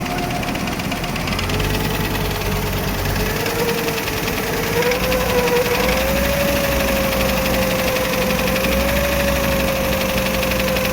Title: VW T4 California AAF 2.5 Petrol engine noise issue